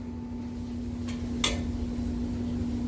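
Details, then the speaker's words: Whirlwind pinball on solenoid test with new power supply, Hurricane apron swapped in: one sharp mechanical clack over steady low hum as the kickback coil plunger hits the apron, whose cutout is undersized; apron must be swapped back. "I just did all lamp test and sound test and was going through the solenoids, and the kickback was going like, what the hell is that noise?"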